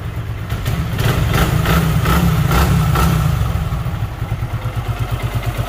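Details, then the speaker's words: Super Splendor motorcycle, delivered to the customer: brief throttle blip, then steady, even single-cylinder idle beat, no knock; smooth, normal idle. "इसके engine में सांड कोरबा के messenger सा उतना smooth और चिकना मक्खन कर दिया है कि कस्टमर गाड़ी को ले जा चुका है"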